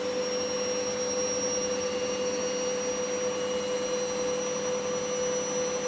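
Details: Candy GVS169D3/1-80 Grand O Vita 9kg washer, after triac replacement on control board fixing error E09: smooth constant high whine at full spin, no knocking or scraping; even, healthy spin.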